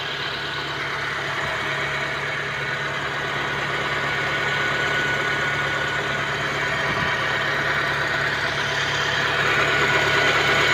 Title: honda civic misfiring.... ikaapat na ko mekaniko... bakit di nila makuha trouble?